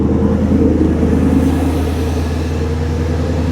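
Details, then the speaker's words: Mustang GT V8 after new serpentine belts, tensioner and pulley, AC condenser disconnected; steady, even idle with smooth low rumble and no squeal or chirp from the belt drive — normal idle. "Chill, bro. listen to that sucker perk."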